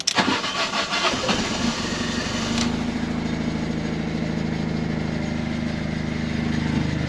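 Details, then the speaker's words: Fiat 500 TwinAir with replacement engine, after cranking with plugs out and fuel pump disconnected to build oil pressure; short crank, catches cleanly and settles into a smooth even idle, no leaks, running normally. "check for leaks nothing yet nice and dry sounds clear so i think i think we might have done it"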